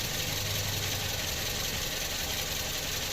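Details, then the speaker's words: 2007 Toyota Vios at idle with AC on, after compressor replacement, full system flush and new expansion valve, on the original belt: steady AC air rush over a soft, even idle, no squeal, rattle or knock; cooling normal. "เย็นตัดต่อปกตินะครับใช้สายพานเดิมนะครับ"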